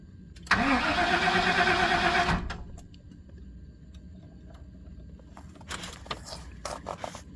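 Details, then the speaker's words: 1997 GM truck, 5.7 V8, cold crank no-start; steady starter cranking for about two seconds that never catches, as pressure leaks back through the fuel pump check or relief valve; also a plugged fuel filter and missing body and frame grounds. "watch when the pump stops running look at how it's leaking back so the check valves in the the check valve or the over pressure relief valve is is leaking in the"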